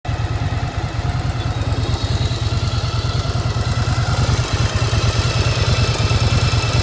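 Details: 1995 Yamaha XV1100 V-twin, warm with choke off, idling with an uneven beat and a steady metallic clank on every firing pulse; owner asks whether normal, cause unclear; engine clanking at idle.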